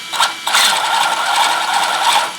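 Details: ZD Racing DBX-10 RC car with new slipper clutch and original rear diff: rapid dry ratcheting clatter from rear gearing while spinning; owner suspects something wrong in the rear diff, cause not confirmed.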